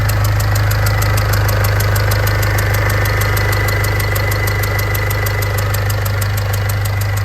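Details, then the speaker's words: Ford Fiesta diesel before repair: sharp regular ticking about three per second over idle with faint steady whine, diesel smell and smoke in cab; crushed injector seal washers leaking, replaced. "These little washers here, these were causing the leak on the injector. They were just crushed down, replaced them with new, and engine's as good as new."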